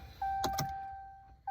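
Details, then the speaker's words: 2017 Dodge Ram 6.7 Cummins after fuel filter change: key turned on to cycle fuel through the new filters, lift pump gives a steady mid-pitched electric hum for about a second with light clicks, priming normally. "you do that by just turn the key turns the pump on fills him"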